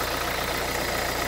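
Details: 2011 Renault Kangoo 1.5 dCi 86 hp, under 100,000 km, warm: steady, slightly rough diesel idle clatter after restarting with air and foam in the fuel line. Owner suspects metal filings in the Delphi injection pump; the preheat timer was checked. Not confirmed.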